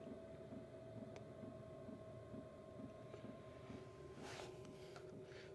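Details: Cheap Chinese diesel heater in a caravan after warm-up, slowed to low setting: soft steady fan hum with quiet regular fuel-pump ticks about once a second; running smoothly.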